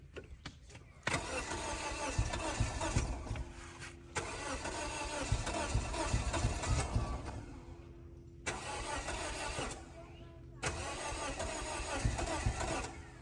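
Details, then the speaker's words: 2004 Scion xB after sitting two years, weak or dead battery, fuel gauge on E: steady cranking about four beats a second with no catch or firing. Cranks but won't start; owner suspects no fuel. "This battery is dead, dead, dead. See it? And now it's back on. All right, I just want to hear it turn over. Hopefully. Poor thing wants to run."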